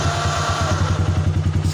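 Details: Small single-cylinder motorcycle engine started via a newly installed relay-less remote alarm: even, steady idle beat with no knocks or rattles; running healthy.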